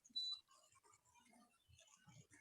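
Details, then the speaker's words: BLDC ceiling fan, switched on by switch and remote, gives three short beeps and never starts; only beeping, no motor hum; circuit fault suspected, not confirmed. "और इसको जैसे चालू कर रहे हैं ना, 3 बार beep देता है सिर्फ, और उसके बाद चालू नहीं होता है।"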